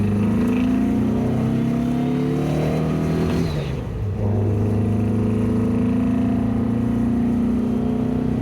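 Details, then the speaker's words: 1967 VW Bug after fuel-leak repairs, recorded from inside the car while driving, following some 70 miles of street and freeway driving; pulls smoothly through the revs, eases off at a gear change, climbs again with no stumble: normal running. "okay the car seat has been running pretty good"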